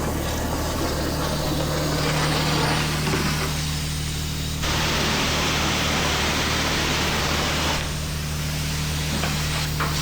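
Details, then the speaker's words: Car wash bay 3 pressure washer after the leaking high-pressure hose was replaced with a new one, system pressurized: steady spray hiss over a constant pump drone, pressure even with no sputter or surging; normal spray, no leaks. "All right, we're golden. Anyways, see how that's spraying? Should be this way."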